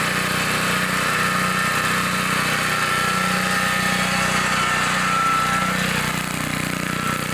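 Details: 1960s Bolens 28-inch Lawn Keeper mower, carburetor not adjusted, untouched at least 15 years, mowing grass: even, steady drone with smooth regular firing beat, no misses or knocks; sounds good, normal running under load.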